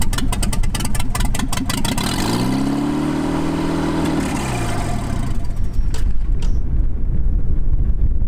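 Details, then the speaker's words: 1986 Toyota 4Runner: very loud open-pipe idle swelling and falling over a couple of seconds, revs hunting. Surging idle persists after idle screw, throttle body and timing were adjusted. "It's still surging, but we're definitely gonna fix that."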